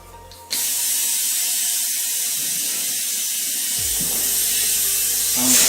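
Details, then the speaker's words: Tire mounted at home with pry bars, valve core left in: loud, steady high hiss of air escaping past an unseated bead; bead being worked around to seal, no bead sealer available. "As you can hear, the air is getting out, so what I'm trying to do is move the bead around so I can hopefully just get it to where it seals itself."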